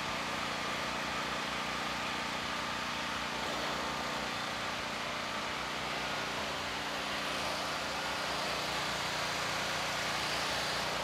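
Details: Firman generator after carburetor cleaning and vent hose replacement, started on choke and then taken off choke. It holds a constant, even speed with a smooth steady drone, no surging or stumbling. Running healthy.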